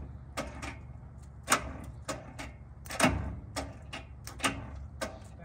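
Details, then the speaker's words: 1997 GMC 7500 bucket truck with a Caterpillar 3116 diesel, damaged in a rollover: starter gives single uneven clicks and never turns over, because the old charged battery is too dead to crank. "we threw that battery in there and the battery was too dead for it to start"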